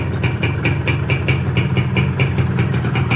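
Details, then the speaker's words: Yamaha 125Z two-stroke after a rebuild with a new connecting rod; the earlier rumble is gone. On throttle, a light crisp ticking about five times a second is heard over a steady idle: slight piston slap. "Kita coba gas. Nah, ini ada bunyi dari piston, teman-teman, dikit. Ini kalau realnya dikit ya."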